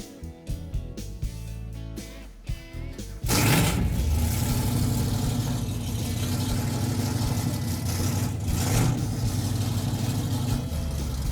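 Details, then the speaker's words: Restored car's V8 on uncapped open headers before 3-inch exhaust is fitted: catches and is blipped hard, loud deep revs climbing cleanly and settling evenly between blips; healthy engine. "Okay, let me pump her a couple times. See how she cans off. It's gonna be a little bit loud."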